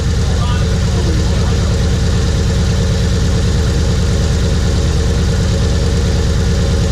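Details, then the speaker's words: Chevrolet HHR turbo build on first start of the fresh engine, with a cylinder 4 misfire from an ignition coil connector not plugged in all the way: rough, uneven idle with a lumpy low beat about eighty per minute. "So as you notice, once we got that car started, we had a bunch of codes. The majority of them was actually due to a misfire in cylinder 4. That was only because we didn't plug that coil in all the way."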